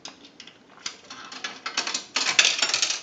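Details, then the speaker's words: Repaired and converted single slot payphone on final checkout: a quarter inserted rattles with light metallic clicks straight through the mechanism into the change return, as set up; normal coin drop. "Now, we also set this unit up to where when we put change in the unit, it will go directly down into the change return. Now, we're going to go ahead and put a quarter in."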